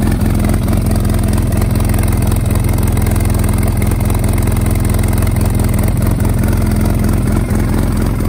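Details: Polaris RZR side-by-side running again after a head gasket replacement has a steady, even idle with a smooth low thrum and no knocks or misses. The engine runs cleanly.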